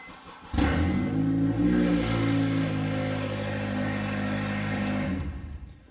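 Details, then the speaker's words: Honda Accord with a stolen catalytic converter: loud, deep, raspy open-pipe drone starting at cold start-up, noise absent the night before. "as you guys heard in the previous clip this thing's making a pretty loud noise um we're trying to figure out what's going on"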